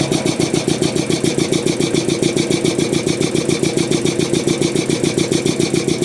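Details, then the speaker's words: Restored DeVilbiss 445 air compressor on electric motor, speed checked with tachometer: even, tightly regular piston thumping about three and a half beats a second, no knocks; running too fast, owner wants a pulley for about 350 rpm. "So, ideally, I would want this thing running a little bit slower. Um, I'd like to get a pulley maybe for about 350 or something like that for that electric motor until I get a bigger motor anyways."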